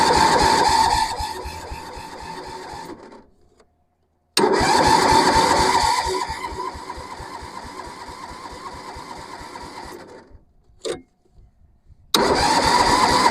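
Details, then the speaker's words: Massey Ferguson 7 lawn mower, estate auction buy sitting many years, cranking with fuel on: steady starter bursts about three turns a second, no catch or firing; lean carb mixture, crank no start. "do we need to make an adjustment somewhere maybe let's open up the fuel a little bit maybe choke Full Throttle well that didn't do it"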